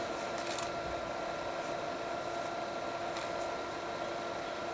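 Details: Power Mac G4 Mirror Drive Door, dual 1 GHz, Radeon 9000 Pro: loud steady fan whoosh with constant whining tones, no speed change; exhaust air neither cold nor very hot, whether heat sinks work is uncertain; loud cooling fans.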